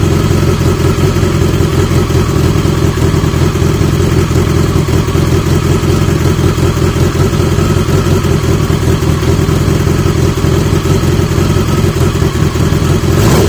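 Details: 1980 Yamaha XJ650 with newly fitted old-stock exhaust pipes: loud, even four-cylinder rumble, steady with no misses or rattles; exhaust sounds healthy and well sealed.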